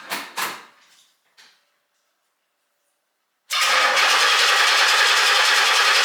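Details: 1968 Pontiac GTO, 461 stroker with TH400, first cold start since November after battery trickle charge: after a quiet pause the engine catches immediately and settles into a steady, even run without misses; clean cold start.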